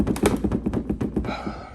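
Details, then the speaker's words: Motorcycle's new tall windshield shaken by hand: quick bursts of hollow plastic clunks; loose windshield rattling in its fairing mounts, to be fixed with weather stripping. "put some of this weather stripping so the windshield won't rattle I hate rattles"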